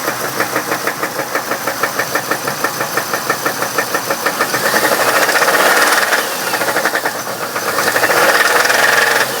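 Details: 1997 Chevrolet Camaro, 3800 V6, bad motor: steady rapid ticking knock about three per second over the running engine; deep internal knock, exact cause not confirmed.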